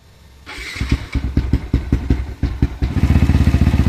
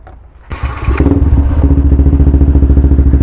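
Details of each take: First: Modified Yamaha LC135 motorcycle with 62mm bore kit idling with loud busy top-end clatter despite repeated tappet adjustments; cause not confirmed. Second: Yamaha LC135 with 62mm bore kit, after tappet adjustments: fires on the first crank and settles into an even, steady low thumping idle with no top-end tapping; normal idle.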